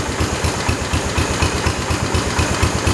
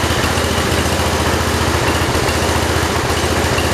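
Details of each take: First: 1968 Kohler-swapped 112 tractor after throttle adjustment: even, steady single-cylinder thump about four beats a second with no misses or stumbles, said to sound like the '73 and run really good; normal idle. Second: 1968 John Deere 112 with Kohler single-cylinder engine at low idle: uneven putting with stumbling, skipping beats; the air filter upset the carburetor fuel mixture adjustment.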